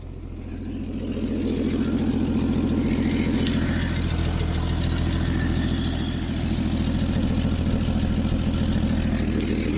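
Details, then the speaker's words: 1965 Rambler American idling after sitting 30-40 years: steady petrol idle with quick even puffing tick from a small exhaust manifold leak; otherwise sounds fine. "We do got a little bit of an exhaust leak, which is normal for Ramblers."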